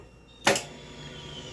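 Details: 2005 Suzuki Boulevard C90, top end recently rebuilt, ran three or four days then wouldn't start; key on, neutral, clutch in, starter solenoid already replaced: one sharp click at the button, then silence with no cranking. Cause not yet found.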